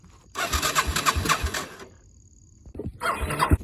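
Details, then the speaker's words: Rebuilt Yamaha Moto 4 (225/250) ATV single, warm after a short ride, after the bent-valve repair: quick cranking thumps about four a second, catching within a second or two. Normal fast warm start. "It is warm, but I didn't ride it that long, and Still starts fast."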